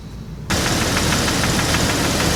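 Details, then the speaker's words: Engine with P0300, P0304 and P0320 misfire codes, running rough after spark plugs replaced again, old coil pack fitted: loud uneven idle with quick regular tapping, about seven or eight a second, a knocking sound inside the engine; cause unknown. "so guys I don't know if you can hear that it's like a knocking sound inside the engine"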